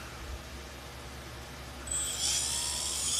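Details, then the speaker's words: Brushless motor after replacing the worn, debris-filled bearings that caused noise and overheating: it spins up with a clean, smooth, rising whine and no grinding or rattle. Normal running after repair. "I put these new bearings in here and here I would let you hear it it doesn't you can that's actually pretty good now"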